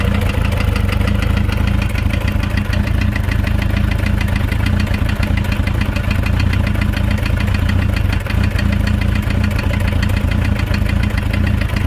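Steady idle carrying a continuous, rapid, regular knock that keeps time with the engine over several seconds; it is an internal knock of unknown cause.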